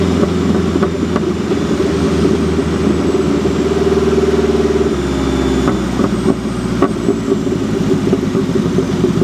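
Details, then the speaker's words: Mazda Miata built 1.6L turbo with new head gasket, new clutch and flywheel, unequal-length turbo manifold: steady even idle with a couple of smooth blips, no knocks or misses; engine runs healthy after head gasket repair. "Engine runs great with the new head gasket. That's the little thing I was worried about."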